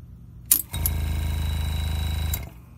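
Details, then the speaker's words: Small Harbor Freight pneumatic compressor (58 psi max, about 30 psi) feeding a GraverHelper engraver: motor chatters on under two seconds then cuts out; short cycling because air leaks from the handpiece once the machine opens the line. "When I turn the machine on, the line opens, air leaks out of here, and that's why this right here, the air compressor, won't turn off for more than 1 second, because it's trying to stay at an equal PSI with the engraving machine."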